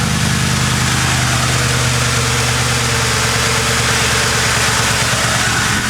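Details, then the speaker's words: Ford Crown Victoria drift build idling after Seafoam was added with a tank of gas: even, settled V8 idle with a steady low rumble and no shake or skipping, smoother than before; whether Seafoam helped is uncertain. "now we see this thing is running a little bit better is it the seafoam maybe maybe not maybe who knows but it does run a lot better the engine is not shaking that's good"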